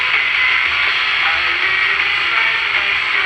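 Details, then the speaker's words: Philco T66 pocket AM transistor radio, after finding the missing slug in a converter coil core and refitting the original Philco transistor: the antenna trimmer now peaks and an oldies station plays clear and steady, with no fading or crackle. "now i can achieve a peak with the antenna trimmer now it's working and i'm getting la oldies"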